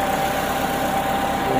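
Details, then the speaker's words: Honda City iDSI idling just after replacing the pulley and fitting a new 5PK 1145 fan belt (earlier stiff steering, not charging, AC not working, overheating): smooth, even idle with steady low hum, no belt squeal or chirp; normal idle. "Paandarin na natin, ano? Nakakabit na yung belt saka yung pulley. Yan. Yun, umandar na."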